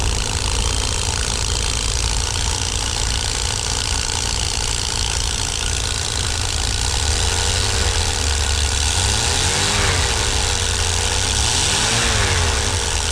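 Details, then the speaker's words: 1988 Dodge B250 Roadtrek van, 318 TBI V8, after fuel injector and temperature sensor replacement to fix rough running and stalling; loud, even idle with a steady beat and no stumble or misfire; sounds good; normal idle. "yeah sounds pretty good in the yard take it for a test drive but uh so far so good quite an easy job"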